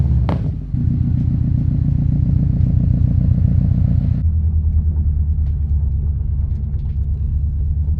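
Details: Subaru WRX STI, 150 psi compression all cylinders, smoking suspected from turbo or valve stem seals: when wheel speed sensor check engine light comes on, deep uneven rumble lurching lower, barely idling, then hits 5,000 rpm limiter; rough idle, cause unknown.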